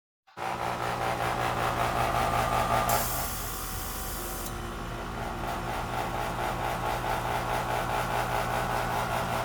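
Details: Goodman outdoor AC unit, only 2 years old, at start-up only: loud rough hum with two short hiss bursts; abnormal start-up noise.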